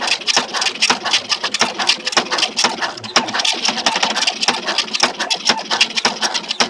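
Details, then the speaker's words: Tally T5040 dot-matrix printer printing a status page: harsh, uneven rapid clatter with jolting knocks through the print pass, output scattered; print head adjustment too loose, letting the head rattle. "Perhatikan ini terlalu longgar ya. Terlalu longgar kan, inilah yang menyebabkan bunyi-bunyi. Karena longgar kan? Ya, karena longgar."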